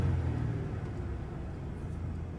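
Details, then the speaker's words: 2000 Ford Ranger 3.0L V6 with high idle: steady low rumble revving high without throttle, settling slowly; owner suspects sticking idle air control valve (later found dirty mass airflow, throttle body, IAC cleaned). "Alright, so my truck is idling super high. Just dropped a little bit."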